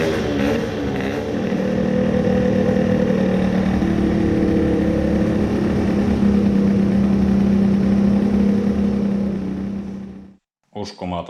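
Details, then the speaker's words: Tuned 20 hp two-stroke moped engine after crankcase resin filling, run without coolant so it got hot: steady even buzz holding one speed about ten seconds then shut off; runs smoothly, no seizing, perhaps slight grinding. "started normally when I tried it first time, it felt like it was welded I was sure it will not start. but then it just idled normally"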